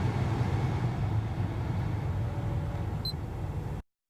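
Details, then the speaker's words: 2011 Acura RDX after blower motor replacement, old motor whined with fan speed: now only a steady low rumble and even airflow, no whine; normal blower motor. "all right no more annoying wine that's it super easy"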